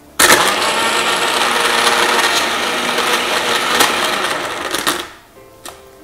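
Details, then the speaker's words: Blender making a vanilla shake with ice and about 250 ml water: loud whirring with irregular rattling clicks from ice chunks hitting the blades, so the ice isn't fully crushed; blending may need up to three rounds until clicking stops. "cover it the blending process may have to be done three times but eventually you won't hear that clicking sound with ice still there"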